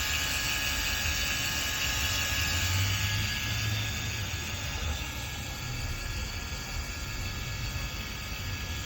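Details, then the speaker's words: 2007 Infiniti G35 petrol, parked and idling after a morning drive: thin, steady high whine over the engine hum, seemingly from the right corner of the engine bay; cause unknown. "so this morning i was driving my car i ended up parking it and i hear this whining noise if anybody knows what this running noise is please tell me let me know what it is"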